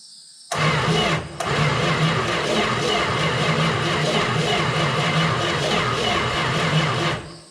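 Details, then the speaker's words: 1971 Plymouth Valiant Scamp parked 16 years, first start attempt with coil hot-wired: long even crank of about seven seconds, no firing; no spark. "don't know what that was um didn't sound good does not seem to have a spark there"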